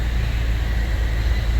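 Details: 2018+ Chevy Traverse/Buick Enclave just started after alternator replacement for P0621 and a charge-system warning, battery dead: steady, even low hum with no knocks or flutter; smooth normal idle, charging 12.8–13 V.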